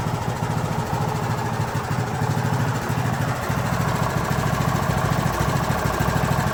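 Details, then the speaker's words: Craftsman YT3000 riding mower with a replacement single-cylinder engine from a donor tractor, first start, fuel solenoid powered by a jumper pack: catches and settles into a steady, even putter with no knocks or misses; normal idle. "Smooth. Well, so far I would call that a win."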